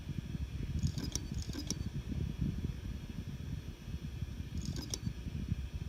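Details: Seagate Barracuda Pro 8 TB desktop hard drive making sharp metallic clicks in short bursts over a low hum, like scissors closing, metal on metal; Seagate says this sound should not occur.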